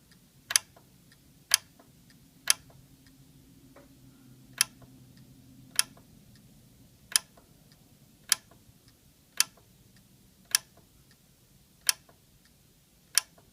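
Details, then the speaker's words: Yamaha RX-V795 receiver powered up, its 12 V 4 A power relay sparking and not making good contact; sharp, isolated clicks about once a second over near silence, about eleven in fourteen seconds; relay chattering from burnt contacts. "let's plug the power in and you probably just get to see it spark yep see it's sparking it's just not making good"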